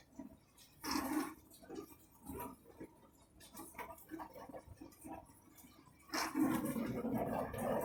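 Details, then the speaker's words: Beko dishwasher that is washing poorly and smells: irregular wet gurgles and sucking bursts come and go during the run, then a louder rush of water; cause unknown. "I don't know if you can hear it. Yeah, like sucking noise."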